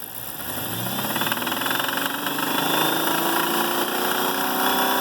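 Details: Dodge 6.1 Hemi V8: steady, rapid knocking rides over the engine as revs climb slightly; owner unsure whether spark knock, lifter, wrist pin or rod knock.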